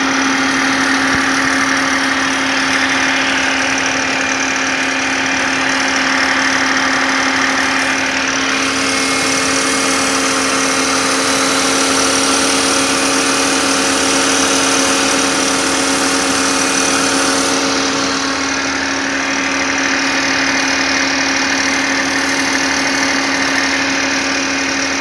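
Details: BMW E39 M52B28 petrol six held near 1500 rpm with a dry metallic rattle over a steady hum; the faulty part was the timing chain guide rail.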